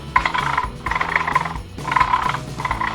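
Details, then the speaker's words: Traxxas Slash 4x4 motor after fitting a larger high-speed pinion: short bursts of gritty, strained buzzing whine with each motor pulse as pinion is pressed against the plastic spur gear; mesh far too tight, risks stripping the spur. "So the motor can just move, but it's tight. If you press them together, you'll hear"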